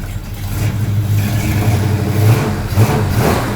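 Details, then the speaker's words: 1972 Plymouth Road Runner 440 V8, four-speed, after re-seating the exhaust manifold-to-pipe gasket to fix an exhaust leak: deep steady rumble with light revving and no ticking or puffing, running way better. "ah way better that's motivation now I have to sit in the dirt and do this side wheel bearings cool"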